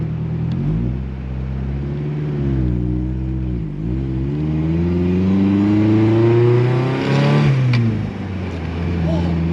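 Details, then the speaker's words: Mazda MX-5 Miata turbo build on its first drive in 10 years, fresh build and tune, heading to the MOT: engine pulls up through the revs with brief stumbles and dips under load; definitely misfiring, cause not known. "did you hear that? Oh, definitely misfiring."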